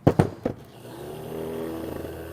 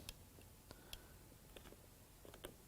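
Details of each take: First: it doesn't sound bad now Second: Spare returned motor, believed to be the same as the one in a 300,000-mile Silverado, bench-powered by a probe: it turns over with a harsh, gravelly, uneven drone and sounds bad; the truck's own motor is in worse shape.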